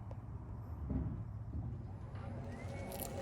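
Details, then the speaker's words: 2018 Nissan Leaf driving after the right front axle nut was retorqued, with low road rumble and faint rising motor whine and no clicking. It had clicked at both front axles on brake-then-accelerate, especially with e-Pedal toggling. "The Test shows no clicking sound on the right"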